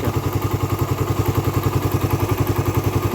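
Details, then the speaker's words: Raider 150 carb, fully hot engine at idle: steady clatter at about three to four taps a second from the top end, quiet when cold; owner suspects compression release or tensioner, cause unconfirmed. "uminit na siya ung maiinit na talagaa siya ayan kumakalas na siya ng ganyan"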